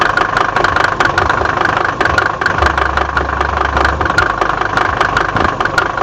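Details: Mercedes OM605 diesel at steady idle: sharp, uneven knocks cutting through the diesel clatter; knocking inside the engine, cause not yet pinned down.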